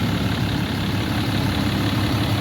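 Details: 2012 Ram 3500 6.7 Cummins diesel at idle after replacing a water pump with a loose, rough pulley and a broken belt, about two gallons of coolant refilled: low, even rumble, steady idle, no squeal or knock, no leaks, running cool.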